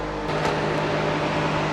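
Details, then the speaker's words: First-gen Cummins truck with newly installed Derale electric cooling fans, cold start, tested: strong steady air rush with even motor hum, no rattles or surging; fans running normally and strongly. "They're freaking ripping away. I'm sure you guys can hear that."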